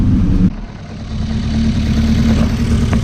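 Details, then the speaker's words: Volvo drift car after snow drifting, oil everywhere, heavy PCV blow-by, no compression in one cylinder: low uneven lumpy idle and light revs with a stumbling beat; owner suspects lost cylinder compression. "As you can see, there's oil everywhere, so it's running really lumpy, and it sounds exactly like I've had these motors lose compression before in a cylinder, and it sounds exactly like that."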